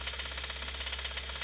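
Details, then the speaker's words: Idling engine with a sharp, regular knock about seven or eight times a second; the change when cylinders are disabled points to a connecting rod bearing (rod knock); the owner had been told to replace the engine. "it's a connecting rod"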